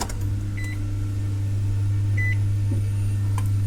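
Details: Barn-find Nissan Xterra after the fuel pump assembly was reinstalled, before first start: a steady low electric hum holds even throughout with a few faint chirps above. The fuel pump is priming normally.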